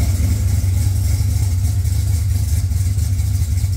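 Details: Engine started right after a dead battery (cause unknown, owner checked trans brake and line lock clicking): smooth, steady low hum with even beat, no knocks or misses; normal idle.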